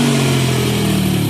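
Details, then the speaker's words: Cheap manual Ford Mustang V8, first start after repeated no-crank attempts: revs up and settles into uneven lumpy beat with ragged edge; running rough, cause not yet found. "give her it's alive sounds like ass but it"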